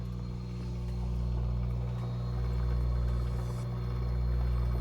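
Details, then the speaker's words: Midea washer-dryer after the drain pump (eletrobomba) was replaced: steady, even low hum with no grinding or rattling. Before, it was very loud, as if a stone were inside; now it runs quietly. "Ficou outra máquina sem barulho nenhum."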